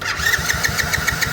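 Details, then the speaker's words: Kayo small ATV that had been sitting, won't start: starter turns the engine at a steady rhythm of about seven beats a second but it never fires; cranking no-start. "So it is kicking over, but it's just not wanting to fire."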